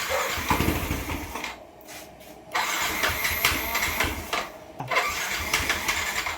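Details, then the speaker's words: Yamaha NMAX V1 scooter, not run for a month, after the fuel injector was refitted in the throttle body: short crank, then catches and settles into a quick, even idle with a few blips; normal start. "Ayan oh. Ayun, okay na. Ayon, ayos na."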